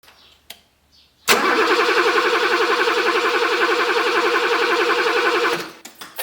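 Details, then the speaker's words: 42-year-old BMW E24 635 CSI that won't start, tested with the fuel pump confirmed running and a spark tester fitted at the coil lead. Even cranking for about four seconds without firing. No spark, so the ignition coil is checked next. "and there is none okay there's no spark so let's check the coil"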